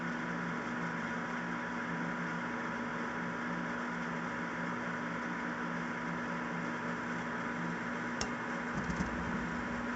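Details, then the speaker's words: Gas furnace restarting after its gas valve was repaired rather than replaced: quiet steady hum with a faint tone, then a few soft clicks as the ignition sequence begins and the gas comes on; normal startup. "our gas came on. As you can see, the furnace is running as it should."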